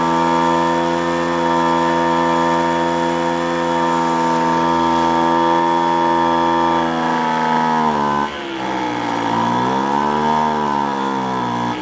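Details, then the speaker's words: Roadside-salvage small two-stroke machine buzzing at steady high revs, then sagging and surging with a spitting note. The exhaust is suspected clogged, and the muffler is to be removed for inspection. "a you know I actually think it's sound it sounds like in the way it's spitting back out of the car like kind a clogged a clogged exhaust"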